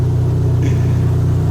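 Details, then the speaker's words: Dodge SRT-4 running on its first start: a steady, even low rumble with a firm regular pulse and no knocks or misses, slightly smoky. Runs cleanly; a bad injector was the no-start cause. "She sounds good. It's a little smoky in here, but she's actually running."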